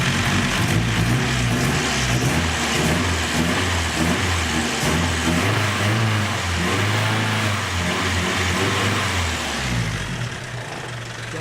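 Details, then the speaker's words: KA24DET-swapped Datsun 510 wagon, T3/T04E 57-trim turbo, idling with throttle blips after exhaust manifold reinstall, listening under the hood: even idle, slight audible timing chain noise, no puffing or ticking; no exhaust leaks. "All right, so far, other than, you can obviously hear that timing chain a little bit. I don't hear any exhaust leaks under the hood when I give it gas."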